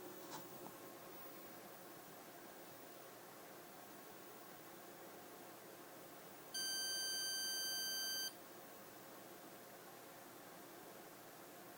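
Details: 1981 Osborne 1 portable computer that won't boot: quiet hum, then a steady high beep of almost two seconds and a short chirp near the end. The owner suspects a bad ROM; replacing the Z80 CPU didn't help. Cause unknown.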